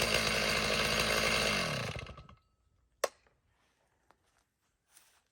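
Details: Chainsaw tuned up after 2 years unused, started in crank position: buzzes steadily and evenly about two seconds, then winds down with light handling clicks; runs clean.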